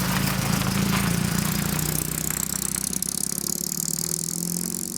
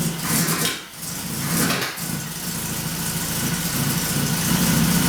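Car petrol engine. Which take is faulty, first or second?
first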